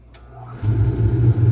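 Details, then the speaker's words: Furnace start-up after being rewired via extension cord onto the half of the house that doesn't lose power: a faint click, then a deep steady roar that holds even, running normally ahead of 5°F weather. "we got a furnace and she's running on the half the house that doesn't lose power randomly so it we'll stay warm tomorrow when it goes 5°"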